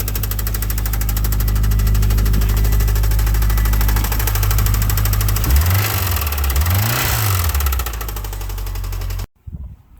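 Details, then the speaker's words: Newly bought Subaru flat engine, oil dark but no metal per notes, started with heavy smoke: steady deep lower-end knock through the idle, rod knock from a blown engine. "i don't know if they missed it but might have a little bit of lower end noise"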